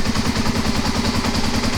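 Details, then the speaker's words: Kawasaki KLR250 with about 4,500 original miles, long hard-starting, cold start on choke: even single-cylinder thump about eight to nine beats a second, steady, no knocks or misses; best start so far, idling healthy. ">> Sounds nice. >> Sounds good. I mean, the thing runs good once it"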